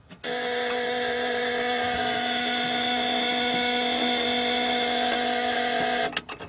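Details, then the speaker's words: 1925 Ford Model T coil box: steady high-pitched buzz from the trembler coils as the ignition switches on, holding evenly for six seconds, normal operation. "that familiar buzzing sound that you can hear when the ignition switched on is those coils actually um is those coils actually buzzing"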